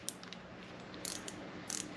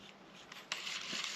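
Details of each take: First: Leydun Usopp BFS baitcasting reel, steel star drag being turned: sharp, light ticks at an uneven pace, roughly one per second. The drag clicker works normally. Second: LEYDUN Usopp AliExpress casting reel spun by hand after tightening with a screwdriver: dry, hissing scrape instead of a clean whir as the spool rubs; magnetic and friction brake adjustment give poor precision.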